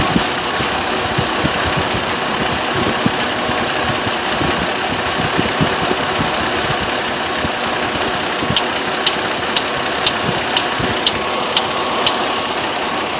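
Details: 2002 Chevrolet Trailblazer petrol engine at idle with sharp, regular ticks about twice a second. The noise persisted after the fan clutch was replaced; the owner suspects the water pump, not confirmed.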